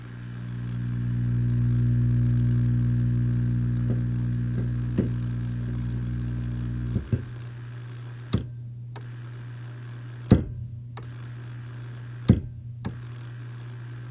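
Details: Hammond B2 organ start/run circuit after the fault was repaired by resoldering a connection: steady low hum of the start motor spinning, then sharp switch clicks; start motor engaging and running normally, slight ground hum.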